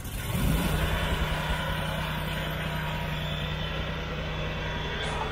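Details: Riding mower after hydro pump rebuild and hydraulic flush, started with a new battery: engine picks up quickly, then settles into a steady, even drone with no knocks or surging; runs smoothly.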